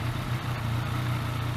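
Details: Yamaha MT-09 started just after an oil change to circulate the new oil; brief noise from hydraulic tensioners is said to be possible. It settles into a smooth, even low idle with no tapping. Normal idle.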